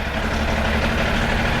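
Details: Benelli 899 TNT twin after check engine light fault traced to an O-ring at injector 1 connector: steady, even idle with no misses, knocks or hunting; sounds healthy.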